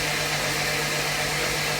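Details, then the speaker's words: Freshly rebuilt turbo AWD Honda CRX engine cranked: a steady, even whir with no knocks or clunks, showing over 20 psi oil pressure on crank alone. Healthy crank. "So just on crank, we're doing over 20 pounds of pressure, of oil pressure. So she's really circulating over there. We should be good right there, and you can tell that there's no like clunking or anything from the engine."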